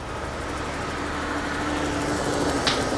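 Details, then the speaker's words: 1991 BMW E31 850i V12, 6-speed manual, off the road 7 years and revived on weak old fuel. It idles smoothly on all 12 cylinders with no misses or knocks over a faint fuel pump whine. "car is up and running works like a dream listen to that Idol it's firing on all 12 cylinders"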